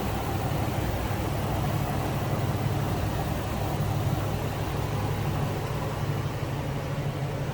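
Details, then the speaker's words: 2006 Ford Econoline E-450 flatbed conversion with a 6.8-litre V10, heard at the engine bay with the hood open: an even, steady low rumble with no knocks, ticks or misses. Normal smooth idle. "Smooth runner, sounds good. Getting that 6.8 liter underneath the hood."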